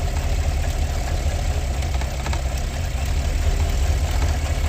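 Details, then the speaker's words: 2017 Cadillac Escalade gasoline V8, 126,000 km, idling with the check engine light on: uneven, stumbling idle. The scanner shows misfires on cylinder 2 and weakly on 8, even though plugs, coils and O2 sensors were already replaced elsewhere. "스캐너로 보면 지금 1번 2번 4번 2번 쪽에 시라카운터가 지속적으로 올라오고 있죠 2번 쪽이 지금 실화가 되고 있고 8번도 약하게 실화가 올라옵니다"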